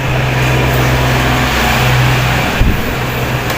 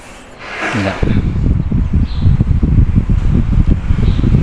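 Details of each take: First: 16-inch electric fan: speed 1 won't turn, speed 2 turns slowly and weakly with a steady low hum and no pull. Fan motor running slow. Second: 16-inch electric fan after repair: weak capacitor replaced with 1.5 µF. After a short start-up there is a steady, strong whooshing with no knocks; speed 1 is now as strong as speed 3. Runs normally.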